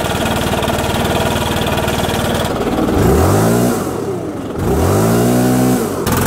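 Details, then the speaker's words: STIHL BR550/600/700 two-stroke leaf blower that was bogging, after turning H and L carb screws out about two turns: idles steadily, then revs up cleanly twice with no hesitation or bogging. "you may have to tweak yours differently but again you see how quickly this fixed the issue"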